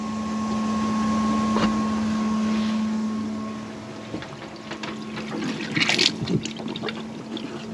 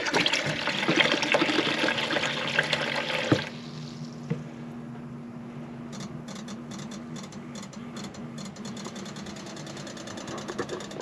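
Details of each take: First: Bailey motorhome fresh water system, submersible pump switched on to prime with taps closed: steady low hum with faint high whine, fading as water starts trickling through; pump running normally. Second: Bailey motorhome water pump after priming: steady low electric hum keeps going after the water stops; pump not cutting out, pressure switch thought to need adjusting.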